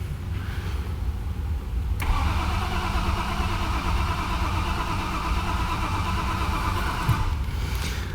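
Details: 2011 BMW 528i F10 N52, crank-no-start diagnosis: steady starter churning about five seconds, no catch or rise in revs; DME found not responding, possibly two faults, not from water intrusion.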